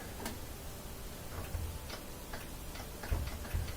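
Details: Kenmore (Whirlpool direct-drive) top-loader washer that would not spin: after the broken lid switch is zip-tied back in place, sharp dry clicks a few times a second; the lid switch engages cleanly and works properly.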